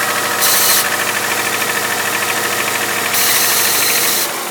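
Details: 2001 Subaru Outback 2.5, 278k miles, valves already adjusted: a light metallic rattle, roughly three ticks a second, over the engine as it pulls. It is strong for the first 10-15 minutes cold and lessens once warm; cause unknown.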